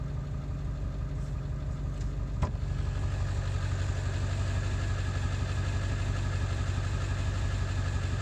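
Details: 7.3 diesel running after ICP sensor replacement, still not running well: deep idle with an uneven, lumpy beat about three pulses a second that won't settle; rough running, cause not confirmed.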